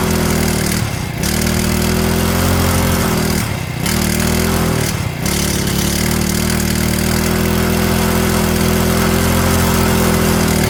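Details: Stihl FS65-4 four-stroke strimmer after repair from oil overfill: steady buzz with three brief rev dips, runs and revs but smoking/steaming off oil; exhaust to be removed and checked clear.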